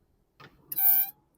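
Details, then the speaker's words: Car with wheel removed, disc turning: short bursts of high metallic squeal with scraping edge; brake pads worn very low, metal wear indicator's shiny point rubbing the disc, causing the noise. "you can see this vehicle has a metal indicator you can see here shiny point this point rubbing the this like this that's why it's making noise"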